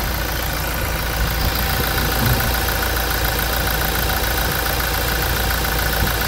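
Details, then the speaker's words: Toyota Hilux diesel at 350,000 km, after timing chain replacement during a service: an even idle with soft clatter and no knock or chain slap. It runs much smoother than before, a normal healthy idle. "quem percebeu que o o funcionamento tá muito mais suave agora das outras melodias"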